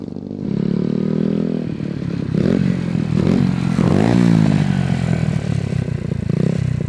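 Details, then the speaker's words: Vintage Honda Z50R mini bike, small single: buzzes and revs with raspy clattery exhaust, no misfire, exhaust very hot; suspected lean mixture, carburetor possibly too small for the engine, no black smoke. "the exhaust smells really hot i'm betting this carburetor is still too small for this engine"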